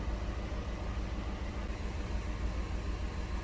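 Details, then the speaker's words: Chevy HHR Ecotec with new coils, low on coolant and throwing code P0300: a low, lumpy idle that never settles, beating about three times a second. Active cylinder 2 misfire; compression is 110 on cylinder 2 versus 210 on cylinder 1. "so here's a fancy graph showing me that cylinder number two is peaking for a misfire that's nice fancy"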